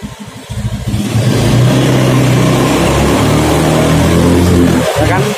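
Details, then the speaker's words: Honda Beat FI scooter lacking power, free revving: revs climb, then dip briefly around 4000 rpm before recovering, another drop above 9000 rpm; throttle position sensor suspected faulty. "Nah itu di Kisaran 4000 RPM itu mulai drop makanya ini wah motor nggak akan naik kapan di tanjakan nggak mungkin"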